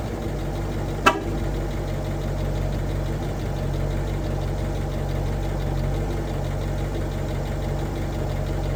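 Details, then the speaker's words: Ford F150 at idle: faint metallic jingly buzz riding on the steady engine note, a rattle somewhere in the exhaust; source not found, checked parts were tight. "Uh you can hear though there's just a rattle there in the exhaust somewhere. I'll might try and get it out while I'm home."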